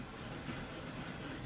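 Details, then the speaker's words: Shopmade wooden clamp jig screw cut from green wood with sanded thread points, lubricated with wax and petroleum jelly about six months earlier. Faint even wooden rub with no squeak. "can hear that I have zero squeak I use a little bit of wax and petroleum jelly and I put that on occasionally"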